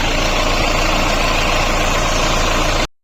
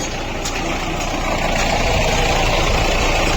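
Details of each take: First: Mahindra Bolero diesel after water pump replacement (bearing failed from an over-tightened alternator belt); now a steady even idle with no knocks, ticks or whirring, and pump rotation is correct. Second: Mahindra Bolero diesel idling, bonnet open: rough, gritty whirring rattle and vibration at the fan and water pump, from a damaged water pump bearing caused by an over-tightened alternator belt.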